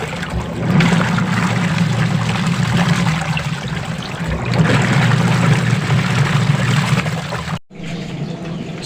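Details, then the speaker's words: Old Sharp single-tub washing machine, nearly discarded, revived after opening drain and cleaning rubber, tested washing clothes: steady low motor hum with even water sloshing, no grinding or knocking; normal agitation. "So ito na nga guys, tinest ko na rin siya na may damit. So ginamit ko ng panlaba. Okay, so ayos."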